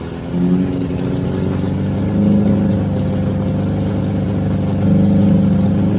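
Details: 1983 Honda Goldwing GL1100 barn-find flat-four, first run after fresh gas and a new fuel filter. It runs smoothly with steady firing and settles to an even idle between light throttle blips, starting and running cleanly.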